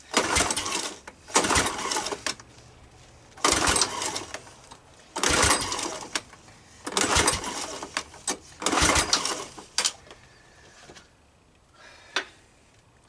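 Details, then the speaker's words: Honda ATC200M three-wheeler, electric starter cranking: repeated fast, light spinning bursts with no firing; compression reads only about 45, owner thinks worn engine, then suspects valves staying open. "It's coming in at about 45. I think this engine is done. I don't think she's gonna start."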